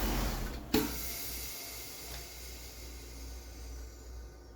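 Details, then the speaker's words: LS4 Impala with PCV rerouted one-way back into the intake; a click at shutoff, then a long airy hiss about four times longer than before as excess crankcase pressure has nowhere to go and bleeds slowly through the system. "Like four times longer than with it the other way. So what that means here is that excess pressure has nowhere to go. It has to find its way through the through the system to release that excess pressure."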